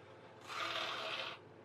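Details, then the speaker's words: PlayStation 2 disc drive, reported not reading games and constantly opening: short rough scraping whir that fades under a second, mechanism grinding and not catching properly; cause unconfirmed. "oh yeah that's not nice you can hear that that's not catching quite right"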